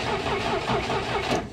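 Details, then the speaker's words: Abandoned 1967 International Scout, fresh fuel added, cranked via cheater switch: starter turns engine slowly, about three laboured strokes a second, never catching; cranks slower with spark plugs in and no fuel delivered yet. "She cranks a little slower with spark plugs."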